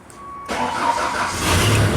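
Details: Genie boom lift after a no-crank no-start fault, with a brand-new starter and a battery sitting almost a week: silence, then a brief crank that catches at once into a steady, even idle; a leak is suspected.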